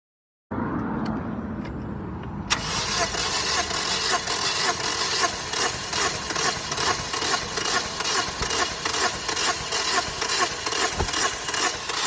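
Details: Toyota Corolla that sat outside unused, with misfire codes P0301/P0303/P0304, a new battery, fresh gas, and throttle body flames. Fuel pump, fuses, plugs, coils and injectors are all fine. The starter whirs fast and evenly, spinning too freely and never catching, suggesting low compression possibly from a slipped timing chain.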